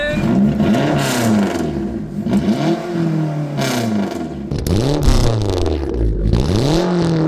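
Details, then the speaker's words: Free Mitsubishi Eclipse over 30 years old, burns excess oil and fouls plugs, first run after nearly a year sitting, new battery: repeated blips, revs climb and fall cleanly, no misfire or knock; normal revving. "We're gonna call that a success. Haven't started the car in very nearly a year, and it seems like it's working perfectly fine."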